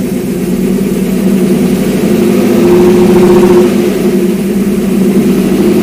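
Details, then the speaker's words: Porsche 928 transaxle after input shaft bearing replacement and limited-slip diff install, 75W-90 oil, alternator belt off; steady smooth idle, clutch in and out, no whine, growl or rumble where it was noisy before; normal transaxle operation. "no horrible noises from the different so clutches out this is where it was making noise before clutch in watch out clutch in clutch out effectively no noise so I think we're good"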